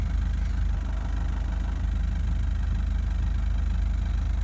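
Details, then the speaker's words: Toyota Prado 1KD-FTV diesel at 273,000 km at idle: heavy, uneven, lumpy knocking chug of about three and a half beats a second, engine rocking and shaking like a misfire; rough idle from worn injectors with abnormal injection readings. "now it's rocking around a bit these injectors have got problems big time right"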